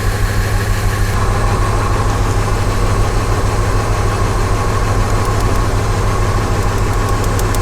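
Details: V8 with P0300 misfire idling with an uneven, lumpy loping pulse; unplugging cylinders shows no RPM change on some (e.g. one and three), indicating dead cylinders.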